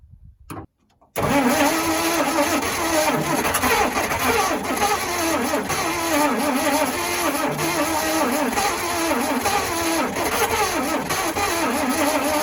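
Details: 1956 Dodge C3-H6 1.5-ton truck, not run in 20+ years, oil topped up, mixed gas fed in; steady cranking about four turns a second with no catch; spark confirmed but plugs wet and fouled, to be pulled and cylinders dried.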